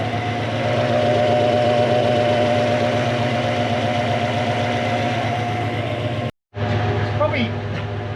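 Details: Mk1 Ford Cortina with a Toyota 1UZ-FE 4.0 litre V8 swap and W58 gearbox, running properly for the first time. Deep, even V8 burble holding a steady idle with no misses, knocks or ticks. Normal idle.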